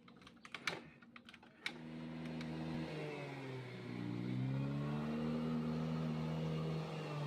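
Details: Yamaha Fascino scooter that would not start, after a roadside emergency repair: a few clicks and taps, then the engine catches and settles into a smooth run with a brief rise in revs. Now runs normally.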